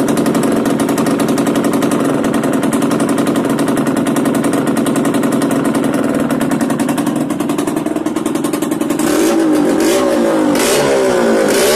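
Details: Yamaha DTR 125 two-stroke, engine from a 2007 electric-start bike, first start after new unrestricted Gilera SC CDI, new seals, powervalve fully open, 240 main jet, Big One exhaust; crisp even idle crackle then clean smoothly rising revs, normal idle and revving.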